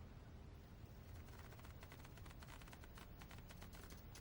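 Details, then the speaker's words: HOTRC CT-6A 6-channel radio driving a lay-down steering servo: quick ticking chatter as the servo turns in small jerky steps instead of moving smoothly; servo stepping due to the radio's low resolution. "Okay, there's a resolution problem."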